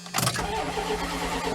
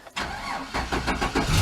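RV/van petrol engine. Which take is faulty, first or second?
first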